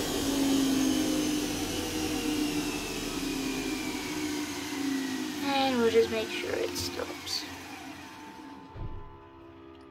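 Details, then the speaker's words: Centurion tank turret electrics starting: AC generator (alternator) spin-up is the first loud noise, then the metadynes below start; electrical whine with tones sliding and settling as machines reach speed, then winding down. Normal generator and metadyne spin-up. "the uh AC generator startup that'll be the first loud noise you can hear that go and then you're going to hear the metad which are these ones down here start up"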